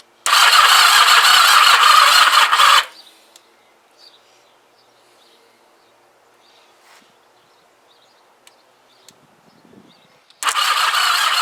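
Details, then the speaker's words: Kawasaki GPZ500S rebuilt engine after a stator change, spark now confirmed: two sluggish three-second cranking bursts, no firing; battery flat and the jump pack not working properly, only clicking. "this jump pack is um it's not working as it should as you can hear uh what it's just clicking away"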